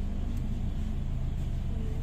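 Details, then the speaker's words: 2008 Hyundai i10 automatic after top overhaul for misfire: idle in reverse with aircon on holds a low, even rumble, no dips or shudder; previously it nearly stalled in reverse, now steady. "Ayun oh, naka-reverse yan. Steady, steady."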